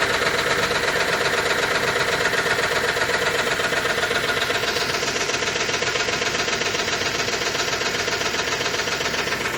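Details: 2005 Range Rover with BMW M62-family V8 at idle: timing chain rattle, a fast steady metallic rattle about four times a second. Timing fault persisted after replacing VANOS, chain and tensioners; oil-filter debris clogged the two check valves feeding the VANOS.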